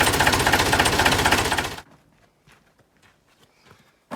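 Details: Volvo LM225 snowplow tractor with no brakes and a long-standing air leak: the air compressor gives steady quick thumping, about four beats a second, for under two seconds, then quiet; it pumps weakly with failing valves, oil in the compressor.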